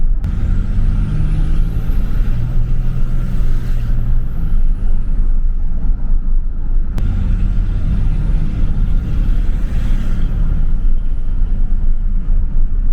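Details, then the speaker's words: 2003–2007 3rd-gen Dodge Cummins 5.9 diesel with Holset turbo and a new Cool Hose intake hose replacing the factory tube and muffler. Steady diesel rumble with a high whistle that rises, holds and fades twice as the engine revs; it seems to spool faster. Loud, healthy turbo whistle. "i'm definitely noticing it sounds like the turbo's spooling up a little faster maybe it's getting here more and it seems like it spools down a lot faster as well"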